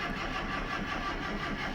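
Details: Morris Marina, sitting unrestored car, battery up to 12 V, no fuel in it yet: even, steady starter churn turning the engine over without ever catching, consistent with no fuel reaching it.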